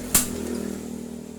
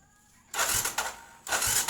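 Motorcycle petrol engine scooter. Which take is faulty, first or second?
first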